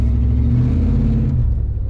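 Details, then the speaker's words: OBS pickup truck V8 under throttle: deep rumble with a rough, chuffing exhaust leak heard when accelerating; owner plans to fix it. "oh yeah man we're gonna fix this I can hear the exhaust leak as I could hear that exhaust leak as I uh get on it"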